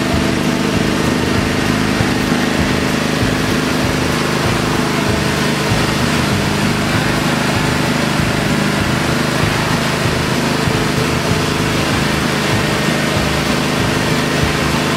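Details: Kohler Command V-twin mower engine, previously running rich and rough, now with a replacement camshaft after the original cam's compression release failed to disengage: steady, even drone with no popping, hunting or misses, running smoothly.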